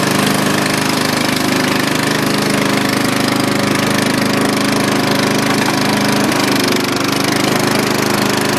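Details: Dynamark riding mower after carburetor cleaning, restarted the next day after sitting a long time. Loud, fast, even single-cylinder putter holds a steady speed with no stumbles or surging, running normally.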